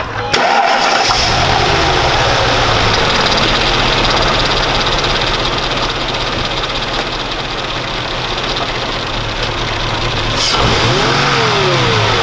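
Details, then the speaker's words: Mercedes CL 500 V8 with LPG, after replacing cheap Wish spark plugs with proper plugs: starts at once and settles into a smooth, even idle with no stutter or shake, engine light now off; running cleanly. "kein stottern gar nichts aber es leuchte breno nie mehr also motor läuft jetzt einwandfrei also lag es echt ist achtet mal wie schön also kein zittern nichts"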